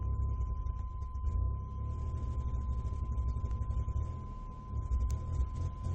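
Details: 1996 GMC Jimmy, VIN code W engine, no engine codes, fouling plugs and sputtering badly at full throttle despite new ICM, coil, plugs, fuel pump and injector assembly: deep, uneven rumble stumbling and dipping; misfire.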